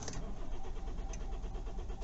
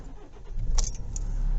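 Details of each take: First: Kia Ceed/i30 CRDi diesel just after fuel filter replacement, glow plug light on: steady starter cranking for a couple of seconds without catching; slow start, possibly air in fuel system. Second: Kia Ceed/i30 CRDi diesel, warm restart after two minutes, after fuel filter replacement for hard starting: a little key rattle, a short crank, then prompt catch and a steady, even idle; normal start.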